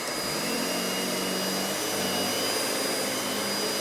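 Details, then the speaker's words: Hoover WindTunnel Anniversary Edition S3670 canister vacuum running with power brush switched on: smooth, even airy rush, steady high whine and faint low brush hum; vacuum and power head running normally. "And it's very nice and quiet. So now let's go ahead and turn the power brush on."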